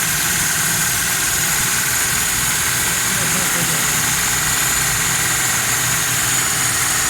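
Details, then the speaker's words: 2006 Daihatsu Cuore after carburetor repair for 7 km/litre fuel fault, jet enlarged two sizes, non-working choke adjusted: starts, smoking, steady even hum at raised automatic fast idle on the choke; normal cold fast idle. "सारी start है, गाड़ी smoke दे रही है। देखिए automatic race है गाड़ी।"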